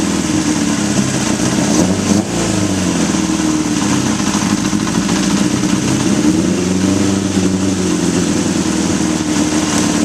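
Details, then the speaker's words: 1981 Honda CB750 K1 at idle; spraying the carb intake boots makes the idle rev up and waver, any idle change indicating a vacuum leak at the boots and throttle shafts. "right off the bat I sprayed right here and you notice that it revved up any idle change whether it's lower or higher indicates a vacuum leak"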